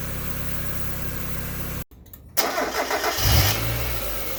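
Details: NA8 Mazda Miata running with a steady airy hiss from the passenger side of the engine bay; alternator bearing suspected but hiss continues after the pulley stops, cause unidentified.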